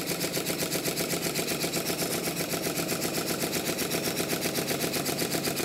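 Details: Model triple expansion steam engine after fixes, new cylinder drain taps and tie-wrap support on intermediate cylinder expansion link: crisp even chuffing about two beats a second, steady; starts easier and runs much better.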